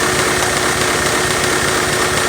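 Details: Lego V8 vacuum engine after new lifters were installed: fast, airy chugging with a dull knock repeating several times a second; cause suspected, not confirmed. Engine knocking.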